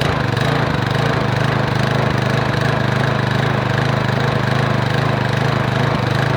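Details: Lawn mower single-cylinder engine after homemade muffler repair (drilled-out broken bolts), air cleaner assembly off: steady but slightly uneven beat about 150 pulses a minute; runs fairly well but has unresolved carburetor and choke issues.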